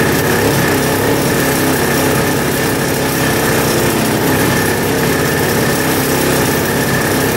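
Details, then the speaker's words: 1960s Ski Daddler vintage two-stroke snowmobile bought as non-running, idling with a busy, slightly uneven note after a long idle; owner suspects a slightly dirty carburetor and keeps running gas through it hoping it cleans out rather than tearing into it. "it was idling for a long long time so I think the carburetor is probably just a little bit dirty we're gonna keep on running gas through it and hopefully it'll clean itself out"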